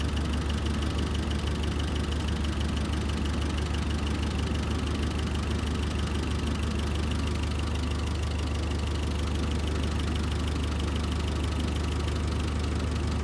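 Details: Terex carry deck crane diesel idling cold while warming up for a running valve adjustment, oil just reaching the rockers: light even tick about three per second over the low drone; valve clatter suspected, not confirmed.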